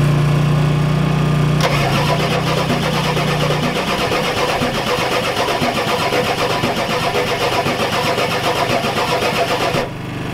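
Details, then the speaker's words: Ford F-250 XLT 7.3L IDI diesel, all 8 glow plugs connected, temporary fuel hose bypassing mechanical lift pump, cold weather: long steady cranking about four beats a second, never catching. Fuel reaches bleeder screw, not injectors; owners suspect weak injection pump, shutoff solenoid untested. "Keep straining the fuel back, guys, so won't start. Don't know, we give up. Don't know, doesn't get any fuel through the injectors."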